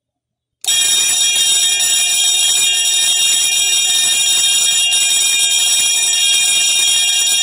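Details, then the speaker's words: Edwards 341-T 20VDC trouble bell run on 18V from two 9V batteries: fast, high, thin continuous ringing, slightly off and uneven in pitch because the gong is loose and needs adjusting. "um and the ring is a little off too because the gong on here is a little loose i may have to adjust that at some point"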